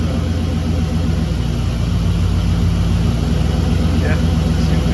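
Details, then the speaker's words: 1959 Ford wagon settling into a steady, even low idle without sagging or stalling, now that the alternator is hooked up; before, it died whenever it dropped to low idle, cause unknown; check engine light from disconnected EGR. "there settles down through a low idle pretty good now without that CH without that alternator hook up it when it tried to go to low idle it would just die I don't know why but"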